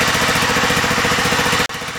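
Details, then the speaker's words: John Deere STX38 riding mower, Kohler CV12.5, warm after about eight minutes of camshaft break-in at 1800 rpm, new camshaft replacing worn exhaust lobe: quick even single-cylinder beat, steady exhaust, no longer sounds under load; healthy running. "nice nice nice a new camshaft seems to run very very well it doesn't sound like the engine's under a load all the time"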